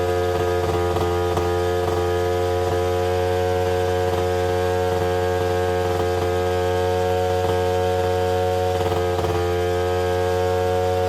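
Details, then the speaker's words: Two-stroke Rockwell engine in an Attex 6x6 on restart: hard, steady buzz stuck at high revs with occasional crackles, won't settle to idle; owner suspects choking loaded it full of fuel, also very oily; unconfirmed. "Why is it ripping? Because I choked it?"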